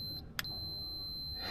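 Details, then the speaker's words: Continuity test on a Gio Golf mobility scooter's blower/heater circuit: steady high-pitched multimeter beep once the probes touch, showing continuity. "okay now I set my camera and I set my multimeter on a continuity test and once I touch those two probes it's going going to make this"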